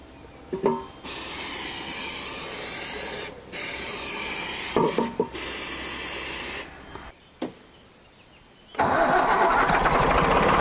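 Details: Autosan H9 bus diesel after a long standstill, cranked from the rear-mounted start switch with the battery charger on and starting spray fed into the air filter: loud hissing bursts with gaps and rough, uneven turnover before it catches; extended cranking.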